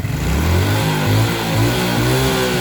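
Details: Suzuki Smash, testing the regulator (kiprok) ground connection: picks up cleanly on each throttle blip and drops back smoothly, no stumble; revs freely and sounds healthy.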